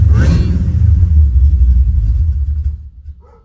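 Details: Engine on a Holley Sniper EFI with a new unit and new coil: a deep, uneven rumble sags and dies in under three seconds; the RPM signal holds steady until shutoff, while the CDI box light cycles orange to green to red; stalling, cause unconfirmed.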